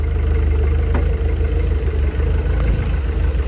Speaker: fuel pressure is good and here we go [Music] there we go she started up no problem